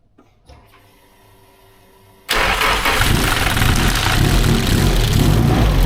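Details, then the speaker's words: SR32 engine with Link ECU on a base map, first start: cranks briefly, then fires into a loud, harsh idle with an uneven pulse; rough loud start, knock suspected but unclear. "No, that sounds bad. What is it? And turned it right off. Try it one more time. Why is it so loud?"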